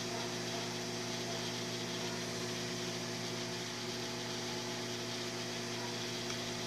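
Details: Microwave oven after repair heating water for one minute: a steady, even electrical hum with constant pitch and no buzzing or arcing. The fault was a fuse blown by magnetron arcing; the magnetron was fine. Normal operation.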